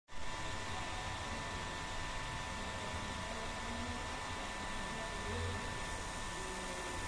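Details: Ola electric scooter charger making a steady high-pitched electrical whine over a low hum; charger is noisy, cause unclear.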